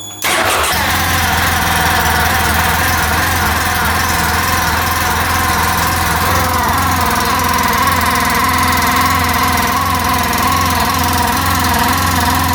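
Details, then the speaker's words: 2014 Polaris RZR 800 UTV starting and idling with a constant, really bad squealing, scraping whir over the engine note; possibly the clutch cover rubbing on the clutch. "I kind of want to take off the clutch cover and see what that squealing noise is, too. It just sounds really, really bad."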